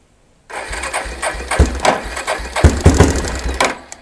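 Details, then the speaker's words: 1992 Yamaha Big Bear ATV, sat on the ground about a decade; engine catches and putters unevenly for about three seconds, then fades and dies. Idle speed set too low; mixture screw set one turn out plus a quarter turn, idle adjusted up to fix. "this one it was pretty good just a little bit a quarter turn and then the actual idle is what was causing this one to not stay running so i had to adjust the idle up a little bit"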